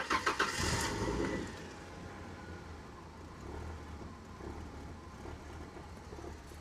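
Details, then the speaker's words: 1996 Mercury Cougar XR7 not started in almost 5 years, cranked via hanging ignition switch: short crank, fires within about a second and settles into steady even idle, starts cleanly. "So, uh so this car hasn't been started in almost 5 years, I think. And uh it just started better than half of the cars I own."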